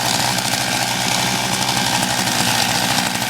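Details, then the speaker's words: MVS 10 gas scooter, cold start at about 31 degrees, primed four times, choke on: fast, buzzy, slightly uneven small engine running rich on choke, near stalling; time to open the choke. "And when it is running, keep the choke on for a little bit until it's about to"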